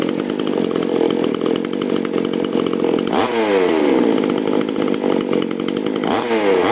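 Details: Chainsaw (5200/5800-class) after new spark plug and carburetor retune of H and L screws from 1.5 turns: high, steady scream with crisp rev pickups while cutting, no stumble or sag; pulls clean.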